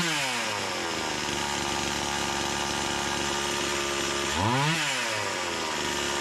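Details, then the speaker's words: Stihl MS170 clone (Amazon 170) chainsaw after carburetor swap from Holzfforma to Stihl carb, first pull at half choke: crisp, steady high revs through the cut with clean dip and recovery under load; pulls strongly, less smoke, healthy. "first pullet kicks over half choke yeah it must have been the fuel that was just in the in there"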